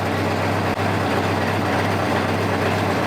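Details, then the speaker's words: Motorcycle idling after a carburetor sync with a digital gauge, cylinder vacuum readings 57/56/56/56, within the manual's 2–3 inHg spread: a steady, even low idle with a smooth hum and no misses or hunting, sounding well balanced. "so right now we're at 57 56 56 56 that's about perfect for me you can hear how happy the bike is"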